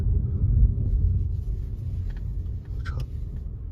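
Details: VW ID.3 test drive after the dealer replaced the front strut mount bearing blamed for a steering noise worst on left turns: low, steady cabin rumble with no creak, clunk or groan from the front suspension.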